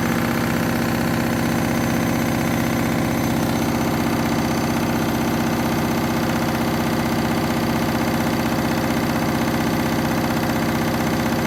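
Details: Candy washing machine, final spin, half load, synthetics: loud droning spin with a heavy rhythmic pulse about twice a second, cause not stated. Very noisy, loud spin noise.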